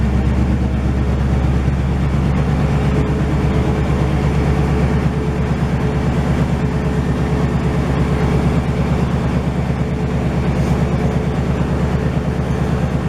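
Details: 1968 GMC truck started for the first time in 20 years after a lot of work: a deep, loud, even V8 idle with a steady low beat near three pulses a second and no knocks or misses. It runs well with only minor leaking.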